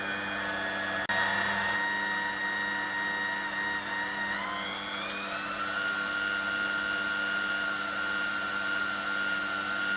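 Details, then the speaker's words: 1996 domestic washing machine commutator motor after new bearings and brushes, test run: steady high whine climbing once then holding even, no brush fire, healthy run; slight bearing rumble, drum bearings may need attention. "At least it's turning. No brush fire."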